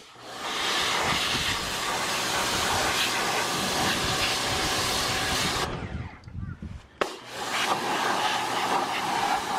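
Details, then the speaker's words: Small pressure washer running with the big unit's hose fitted: loud steady spray hiss over a low motor drone, briefly cutting out and resuming; working properly. "Okay. We got a winner."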